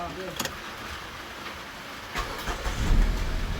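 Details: Kia Picanto that had a no-crank, no-start fault, after ECU repair; a burned starter relay and wiring were mentioned. After a brief quiet spell it cranks once, fires and settles into a steady low idle; normal start.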